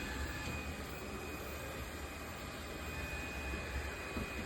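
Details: Robot vacuum-mop, bought at Goodwill, doing a spot clean with its vibrating mop pad and an AC in the background: an even, steady rushing hum with a faint whine and no knocks or catches. The suction fan is running normally.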